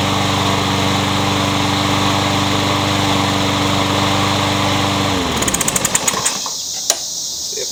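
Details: Troy-Bilt 21-inch self-propelled bagging mower, blade previously hit a railroad tie; after flywheel key replacement and reassembly, engine runs steady and even for about five seconds, then winds down cleanly at shutoff: good runner.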